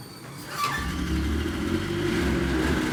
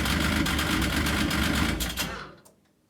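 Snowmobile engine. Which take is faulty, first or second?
first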